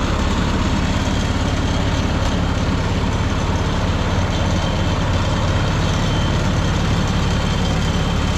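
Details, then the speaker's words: 1951 Farmall M four-cylinder tractor with Autolite 316 plugs back in: low, steady idle running pretty well, with a faint occasional miss and pop among the beats; intermittent slight miss, cause not yet found. "so it's actually running pretty darn good at this point mostly because of that spark plug change but it's not perfect I'm still getting an occasional tiny little Miss and pop here in there"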